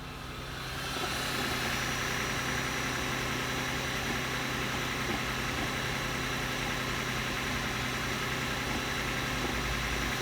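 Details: Lexus GS450h cold start: uneven rattly churn from under the car, about three to four pulses a second; owner suspects cam or oil pump noise, source unconfirmed.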